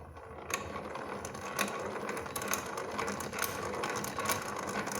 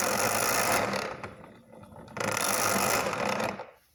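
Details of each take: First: 1920s Luther household hand-crank grinder after repair, shafts pressed apart and copper thrust washers added to fix play and internal grinding: even hand-cranked turning with light steady gear clicking; runs much smoother, though the wheel is worn. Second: 1920s Luther household hand-crank tool grinder with excessive shaft play; two harsh grinding bursts as the crank turns. The wheel slides and grinds internally and into its own tool rest.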